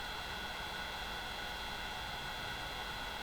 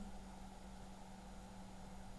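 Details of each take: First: Opus BT-C3100 v2.2 Li-ion charger with its stock cooling system while discharging: steady loud airy whoosh with a shrill whine, the noisiest of the compared setups, annoying enough to disturb sleep. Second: Opus BT-C3100 v2.2 battery charger discharging at 1 A: cooling fan at low speed gives a quiet, steady low hum with a faint even tone, no ticking or wobble, slightly louder when the charger is flipped over.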